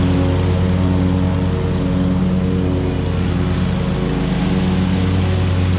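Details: Hustler Super Z mower, Kawasaki engine with 1900 hard hours, test run after 66-inch deck rebuild with new components: even, steady engine drone with smooth deck hum, no scraping or grinding; normal running.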